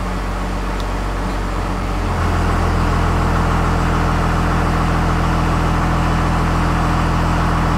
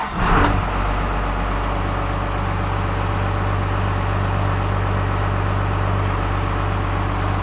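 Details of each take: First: 1st Gen Cummins diesel truck with new stock-stall torque converter, idle in gear with AC on at about 720 rpm after idle screw adjustment: steady low idle that labours, still too slow and needing the idle raised further. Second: 1st Gen Cummins diesel with new stock-stall torque converter, idle screw raised, in gear with AC on (about 720 rpm, 850 in park after adjustment): steady, even rumble, smooth low throb, no misses or knocks; normal idle.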